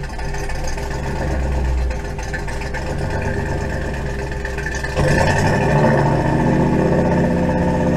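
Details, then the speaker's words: Engine with Holley Sniper EFI, warm at about 170 degrees, run up to about 2500 rpm then off throttle: it sags and stumbles lean; fuel pickup sock is clean with 4–5 inches of fuel, and the owner suspects low fuel. "then I'm going to come off the gas and hopefully it'll stall so we can get that long it does drop lean when I come off it"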